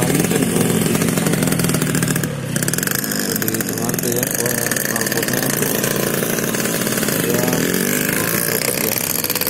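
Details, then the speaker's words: Yamaha RX King two-stroke carburettor bike: loud, uneven burble that stumbles and stutters as revs climb, sputtering when the throttle opens at low revs; rich low-speed running from an oversized pilot jet. "Oke Lur itu tadi ya video Hai kondisi atau gejala saat motor atau karburator pilotnya terlalu besar ya atau terlalu boros Tuban bakarnya di putaran bawah ya gejalanya berupa telur gejalan"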